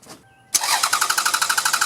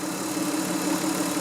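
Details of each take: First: Car that suddenly stalled after idling about a minute in hot sun, fuel filter already changed, restart attempt about five minutes later: starter cranks steadily through two long tries but engine never fires; crank no-start, suspected failed fuel pump. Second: Car that kept stalling suddenly; first start after replacing the fuel filter and then the fuel pump. Smooth, steady idle with an even hum and no misses, knocks or surging; normal idle, and the problem was later confirmed fixed.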